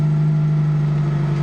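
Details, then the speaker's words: Fiat Panda after engine swap, immobilizer lifted by reconnecting the aerial: smooth, constant low drone with no misses or knocks; normal idle. "It finds the key and instantly lifts the immobilizer. And now my engine will fire up again."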